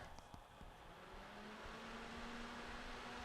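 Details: 12 V DC 200 mA computer fan, model F1202512SM, after disassembly and oiling its bushings: quiet, even whir rising slightly then settling smooth with no rattle or buzz; previously noisy and shaking, now healthy.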